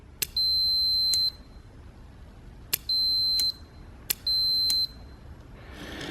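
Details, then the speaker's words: Automotive cooling fan relay, fan circuit substituted with a multimeter, relay actuated by hand: three sharp clicks, each followed by a steady high meter beep of about half a second; relay contacts closing properly. "anytime this switch closes it turns our fan on so we could even actuate it by hand and you can hear the beeping"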